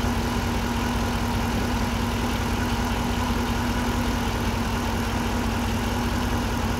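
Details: 2008 GXP, almost 150,000 miles, idling after start: steady, unwavering mid-pitched whine, like a failing power steering pump; failing alternator putting out 13–13.5 V instead of about 14, with burning electrical smell.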